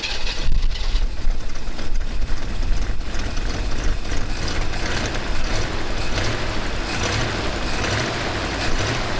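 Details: Chevy Nova V8 with newly fitted high-rise intake and knockoff carb: heavy, rumbling idle with a faint ticking that keeps pace with the idle, likely valvetrain noise, possibly from a rocker that's really loose.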